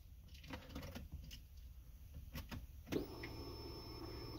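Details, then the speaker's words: Car with a no-start checked for fuel: key-on brings a steady high electric hum lasting about a second and a half, then stopping; fuel pump priming normally, spark to be tested next. "if it's doing that more like it's working so we'll move on to the spark next"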